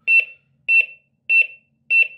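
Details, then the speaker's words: Smart Water Leak alarm WiFi detector, base placed in water during an immersion test: shrill high double chirp repeating about every 0.6 seconds in a quiet room, signalling water detected; loud enough for a small room only. "Le bruit, ça va. Donc le but, c'est que l'application se lance, parce que le bruit, c'est pas assez, enfin ça va si c'est dans une petite pièce, mais si vous le mettez dans une pièce un peu plus grande, c'est moins intéressant en fait."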